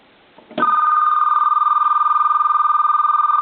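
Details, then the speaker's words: Repaired two-line telephone in final checkout, line 2 rung from an analyzer; clean, steady electronic warble for about three seconds with no dropouts and the line 2 indicator flashing; ringer working normally. "Line 2 is ringing and our indicator is flashing."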